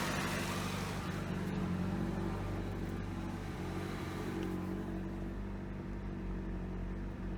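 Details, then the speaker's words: 1988 Toyota Corolla just after fitting a new carburetor, not yet fully warm: small four-cylinder holding a fast, even idle with no stumble; idle sits noticeably high and needs adjusting. "idling a little high and it's gonna need some adjustment, but I think we have just about done it."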